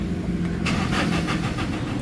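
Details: Toyota Innova, turned to start: starter cranks the engine at a steady, even rhythm but it never fires. Crank-no-start with fault code P0351, later fixed after bleeding the fuel system.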